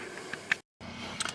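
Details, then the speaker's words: 2012 Chrysler 200, light irregular plastic ticking from inside the dash, vents not working properly, sometimes stops after slamming a door: likely one of three blend door actuators clicking. "u ever heard the clicking noise in the dash and a lot of times your venting isn't working properly, it is likely one of your three blend door actuators."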